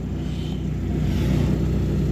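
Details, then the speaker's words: Lada Granta automatic transmission after pan removal and replacement of a badly clogged, dirty filter, with warm oil refilled, engine temperature 70: low even rumble with no whine or hum; transmission runs quietly, cold-start hum not yet retested. "Сейчас всё работает спокойно. Температура 70."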